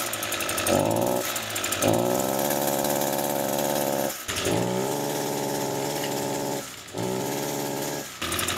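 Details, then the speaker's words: Echo grass trimmer running poorly, before repair: starts fine, but each rev-up climbs to a steady buzz then sags or dies off, repeating; engine bogs under throttle. "so as you see there it bogs"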